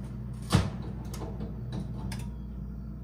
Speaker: you hear that clunking that is the lock engaging on the door so that we cannot open it